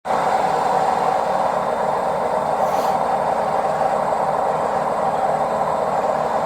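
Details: Washing machine on spin cycle: steady harsh roar with screeching and a rough grinding edge throughout, suspected worn drum bearings; cause unconfirmed.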